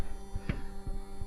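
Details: Mercedes block heater coolant pump with newer replacement motor, at minus 24 °C: low steady electric hum with a few soft handling thumps; pump running quietly and normally.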